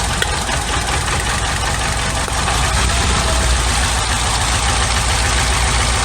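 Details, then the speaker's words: 1991 Nissan Sentra B13 GA16DE, no fault codes: rough, uneven idle with a stumbling beat from an intermittent misfire; cylinder two stays dead and the plug wire is ruled out, probably a failed fuel injector. "so i think i have a dead fuel injector on number two cylinder and that's our situation that we have here"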